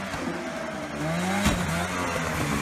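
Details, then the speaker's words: V10 Lincoln Continental project car, one hard acceleration pull after a ticking noise heard on startup the day before: engine pulls with rising tone, then sharp crack and faltering note; owners suspect a bearing or bottom-end failure. "It sounds like either a bearing went or something cuz it's a huge It's like a Now it definitely sounds like a bottom end."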